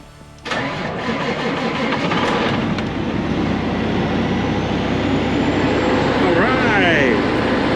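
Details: Diesel truck in very cold weather, batteries charged to 13.9 volts, started after its glow pre-cycle: brief crank, catches at once and settles into a steady, even idle; healthy start.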